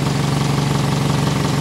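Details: 1991 Toyota Carina II petrol idling with all electrics on (lights, heater) after refitting a repaired alternator, charging 13.7 V versus 11.8 V before: smooth, even low hum with no whine, squeal or stumble; normal idle.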